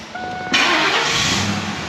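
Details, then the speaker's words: Ford Econoline service van, 5.4 L, complaint of long crank on hot restart: hot restart after about 10-minute soak, brief crank then immediate catch into steady idle; normal quick start. "Beautiful, perfect restart. Let's just try it one more time."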